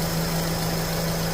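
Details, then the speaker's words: 2013 Renault Fluence after new belt tensioner and belt: steady, even idle in drive with AC on loading the engine, no squeal or chatter; normal idle, noise gone. "engatado em drive ar ligado para pesar o compressor né Para dar carga do motor e forçar o barulho e o barulho aqui agora tá zerado"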